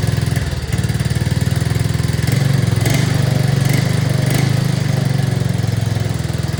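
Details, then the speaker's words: 2024 Arctic Cat ZR 200 snowmobile on a stand, after the throttle cable was tightened to cure intermittent dying at idle: fast, even idle held well above normal with the track spinning, because the overtightened cable holds the throttle slightly open. "here and as you can see it's idling a lot higher and the track was actually spinning"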